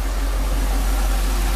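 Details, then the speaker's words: Mercedes V8 after fuel distributor repair (glue removed, main diaphragm replaced; three of eight cylinders had gotten no fuel), idling: steady, even low hum, no misses, knocks or hunting; runs beautifully. "and runs beautiful hopefully this is this rain is going to pass"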